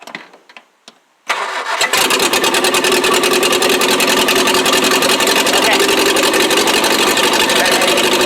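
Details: 1959 Morris Minor 1000 that was running on only its two rear cylinders, after swapping in a new spark plug: brief crank, then a steady chuff near 200 beats a minute with a faint stumble; misfire persists, owner suspects a plug wire.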